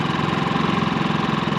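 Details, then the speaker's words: Portable generator in eco mode, running fine after refueling from having been run dry: a quiet, smooth, steady hum with an even low pulse and no knocks or surging. Normal eco-mode idle. "And then here's the eco mode difference. It's a super quiet generator."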